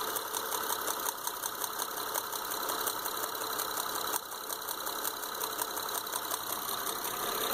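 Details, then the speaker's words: 2005 Honda Odyssey misfiring, running rough: rough idle with a sharp raspy tick about three times a second; front middle spark plug blown out of the head, needs an engine. "So here's what we found on the Honda Odyssey, front middle spark plug. This one's going to need an engine. The spark plug and everything just pulled right out."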